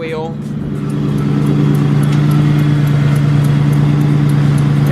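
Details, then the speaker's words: Truck idling in cold weather, about 35°F: a steady high-pitched squeal of even pitch rides over the engine. The source is not located; the owner hopes it is just wetness from condensation. A slipping belt is suspected, not confirmed. "Hopefully it's just a little bit wet from condensation or something. I can't tell where that squeaking's coming from."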